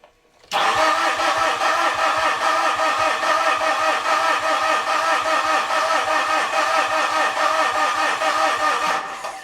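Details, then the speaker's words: 2013 Mitsubishi Fuso FG diesel cranking: steady starter at about two and a half beats per second, no firing; rail pressure only 145 PSI versus 5,000 needed, owner suspects the rail relief valve is stuck open. "So we saw 145 PSI there, but that's nowhere near the 5,000 that it's looking for."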